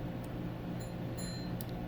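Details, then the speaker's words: Ford Expedition/Explorer fuel pump gauge relay R303 (Omron F8VF BA) on bench supply, coil voltage raised after no click at 5 V; light sharp clicks over low hum; relay contacts pulling in and switching properly. "yep they're really click now"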